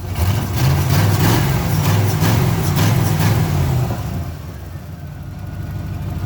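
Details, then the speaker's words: 1987 Camaro IROC-Z V8 running again after a bad wire was fixed, timing slightly off: lumpy V8 idle with a burbling beat that drops and settles smoothly; idle to be turned up slightly, normal idle. "i gotta turn the idle up just a little bit oh man she sounds great sounds great"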